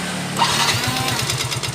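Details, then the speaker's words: Yamaha Mio GT FI scooter that once ran nearly out of oil: on startup and throttle a harsh rattly knocking at about twelve beats a second over idle; worn piston, bore and connecting rod. "ini dulu pernah kehabisan oli ya pernah habis oli sampai tinggal seperempat gelas gelas minum yang kecil ya tinggal seperempat ini muncul suara ininya ketika udah lama jadi muncul juara seperti ini suara pukulan ya"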